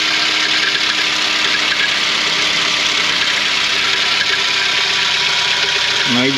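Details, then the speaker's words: 2006 Suzuki Grand Vitara, 2.0 petrol, 230,000 km, on its third timing chain: steady metallic clatter and scraping at idle that persists with the PK accessory belt removed. A non-original Chinese replacement timing chain had been fitted. "Podczas pracy silnika jest taki dziwny odgłos takie szuranie Uruchom silnik nie wiem czy to słychać chyba słychać"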